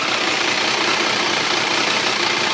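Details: Triumph 955i motorcycle at idle: busy, hissy metallic clatter with no distinct rhythm, always present but worse when hot and louder on the left side; owner suspects clutch or valves, cause unknown.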